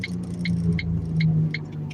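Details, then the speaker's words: Car driving with a steady low hum under the road noise and light rhythmic ticks, the tone changing under braking as pressure loads the bearing: a suspected worn wheel bearing growl. "Yeah, it just it it just seems and sounds like a wheel bearing."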